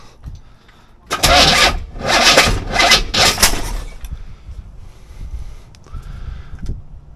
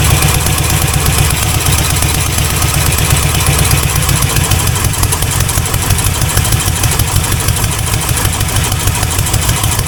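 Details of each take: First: C4 Corvette 350 after rebuild, distributor just turned 180°: it cranks and catches in three ragged, popping bursts, then stumbles and dies. The rough backfiring start likely comes from timing being way off, with too much advance. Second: C4 Corvette 350 V8 freshly reinstalled after rod-knock repair: loud, steady deep idle rumble with no tapping or knocking. 45 lbs pressure, running really rich, timing still way off, not charging; normal idle.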